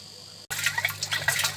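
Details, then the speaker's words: Airlift pump in a tank, fed by a 20 W compressor, lifting aerated water in bursts and spilling it back through a mesh: steady splashing and gurgling, no knocking or hum; working normally. "Ну а вот, собственно, работа эрлифтного насоса. Зрелище может быть не очень симпатичное, но работает он великолепно."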